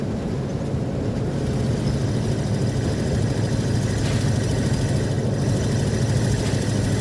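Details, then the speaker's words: RV cruising on US 1 on a cool day, oil pressure a little over half: a steady, deep drone holds under road noise with no knocks or stumbles. The engine runs like a charm apart from an exhaust leak noise. Normal cruising. "The vehicle, other than the noise from the exhaust leak. Vehicle's like running like a charm."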